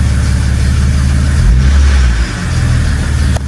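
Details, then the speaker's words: BMW E90 330i with N52 engine on first start in two months: it blips up cleanly and settles straight back to a smooth, steady idle with no misfire or hesitation; a belt squeak was noticed earlier, likely from sitting. "but now it's seems like it's running all right I don't want to do too much so early because now next thing there's a problem"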